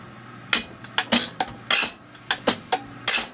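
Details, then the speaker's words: Zexel (Bosch) mechanical injector from a Kobelco SK160 backhoe dormant seventeen years, rebuilt and on the pop tester: sharp crisp bursts of chatter, roughly a hundred a minute, with fine atomization; normal healthy injector chatter. "now you can hear that injector chattering that's one of the things we're looking for foreign good crisp chatter"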